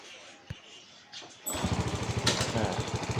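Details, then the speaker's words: Honda Wave 125S restarted after fixing the open choke: a quick crank catches at once and settles into a steady, even putter of about three beats a second. It starts easily and idles cleanly. "โอเคนะครับติดง่ายนะครับ"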